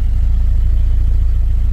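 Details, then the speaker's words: BMW E87 120i bought with engine issues, idling after being left misfiring for a while: deep, even exhaust pulses with no skips; no longer misfiring. "That don't sound like a misfire to me."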